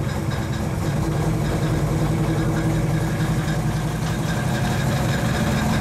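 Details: 1935 Chevy Master, freshly installed 409 stroker V8 at first start-up on jack stands: deep, steady idle with a slight lumpy cam lope, no knocks or ticks; oil pressure and temperature good, running smooth, so the idle is normal.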